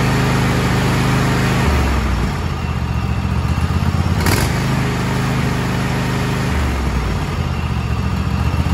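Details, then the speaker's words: Kohler KT735 (7000 Series) twin on a Cub Cadet SLX50, which was running at half power, running after an ignition coil install. A steady fast beat with slight popping and missing at the top end, likely accumulated unburned fuel clearing. Otherwise healthy. "well there you go it sounds much better there's a little bit of popping and missing on the top end of that and that's probably from all the fuel that has accumulated that was not fired and burned"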